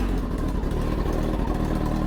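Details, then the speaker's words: Kawasaki ZX10 that was laid down on its left side still starts and runs: low, steady rumbling idle with even firing and no knocks or rattles; normal idle. "The bike literally still runs and everything."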